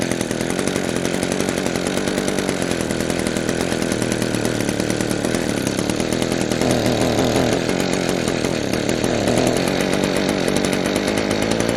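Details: Echo PB-200 two-stroke leaf blower, roadside find, after carburetor work: smooth steady high buzz at even pitch, no stumbles or surging; cheap, easy fix, now running well.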